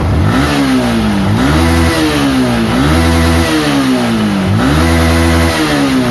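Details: Yamaha R15 after a full service with valves readjusted and ECU reset: stationary engine revs cleanly in repeated blips, pitch rising and falling smoothly; previously it would not rev freely.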